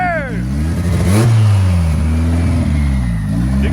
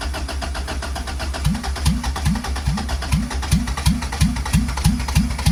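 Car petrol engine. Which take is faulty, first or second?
second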